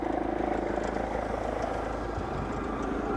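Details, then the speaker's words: Chinese night heater in a camper van at full power, microphone outside at the exhaust outlet; loud, fast, steady chuffing about three pulses a second, quietening when turned down; normal burning. "that is the exhaust and I've done nothing here on this mic it is quite loud but that exhaust noise does quieten off"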